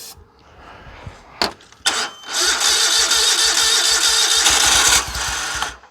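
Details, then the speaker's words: Dixie Chopper zero-turn with Generac engine, no start after refueling; cranks, catches and runs a few seconds on flammable brake cleaner sprayed in the intake, then dies; spark and compression fine, so a fuel delivery fault. "let's try it again ready runs and dies so what we just did now we know we got fire we got compression it will run so it is a fuel issue somewhere"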